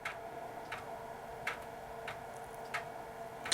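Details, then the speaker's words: Dell 486P/20 from the early 1990s reading a floppy disk: a faint hum with sharp, unhurried, uneven seek ticks roughly every 0.7 s, about half normal speed. The drive works but is sluggish, possibly just this model. "shouldn't have been the dis access sounds slow sounds like about half the speed normal it's not a very energetic drive maybe just this particular"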